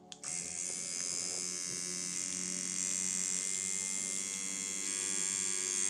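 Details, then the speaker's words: Dan Kubin Sidewinder V3R tattoo machine after inconsistency fix, voltage stepped from 4.5 through 5, 5.5 to 6.5 V with rubber bands on: bright, steady high buzz, consistent pulse, no stumbling at low voltage. Normal running. "5, 5.5, yeah, 6.5, that's the sound, and that's with rubber bands on."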